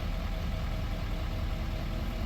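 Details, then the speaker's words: L5P Duramax diesel with cylinder 6 misfire codes P0306 and P0206, idling after the fix: low, even idle with steady light clatter and no skips; misfire fixed. "The mist is gone. Check engine light's still on, but I'll clear that in a minute. And the truck is running smooth."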